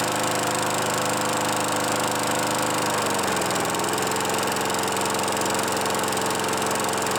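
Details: Craftsman Eager 1 mower 917.383241, final run after tightening hardware and new filter assembly; smooth single-cylinder drone briefly dips in speed, then settles and runs evenly. Normal running.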